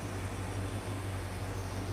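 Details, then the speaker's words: Six-pack car idling just off choke: low, smooth, even rumble with quiet mufflers and no knocks or ticks; healthy, settled idle. Charging and cooling already checked OK; a front-end noise is still to be investigated. "Hey? Does that sound like a 6-pack to you? Very quiet, doesn't it? Quiet mufflers too on top of that."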